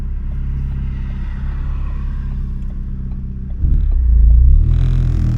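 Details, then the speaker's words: Ford Focus ST with Sidewinder turbo kit, large 6266 turbo on a somewhat stock motor, recirculated wastegate with a leak, on the drive to the gas station: steady low rumble with a light tick three or four times a second, sputtering as the turbo rotates; owner unsure if the turbo is blown. "the turbo sounds like it's sputtering like there's a sputter as it rotates"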